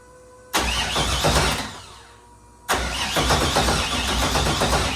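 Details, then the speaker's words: Freshly installed LS3 V8, first start attempt: two bursts of steady cranking at about three turns a second, never firing; owner suspects ignition coil packs not grounded to the head. "I think my problem was I didn't have these grounds for the spark plug whatever units. Jesus Christ, losing my mind."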